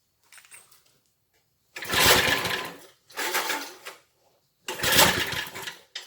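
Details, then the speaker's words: 1970s Briggs and Stratton rotavator engine, unused about 3-4 years, carb cleaned: three hard cord pulls with more throttle, each a rasping spin and sputter that dies away; almost catches but won't keep running. "Ooh, that sounded like it wanted to go. All of the throttle."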